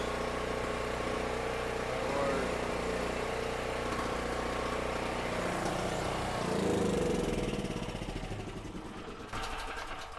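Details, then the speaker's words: $50 used generator with 38 hours, once a non-runner, powering a drill press and light on 120 V: steady even beat with no surging or stumbling; normal running under load; owner thinks a slightly clogged petcock was the only issue, carburetor fairly clean. "Well, it looks like the thing works perfectly. I think petcock was a little bit clogged, but I really think that that was the only issue."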